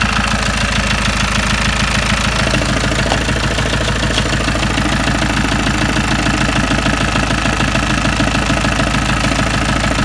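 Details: Diesel, 246,000 miles, just after timing chain and tensioner replacement: idle with regular heavy chug, about three beats a second, uneven and lumpy; rough idle.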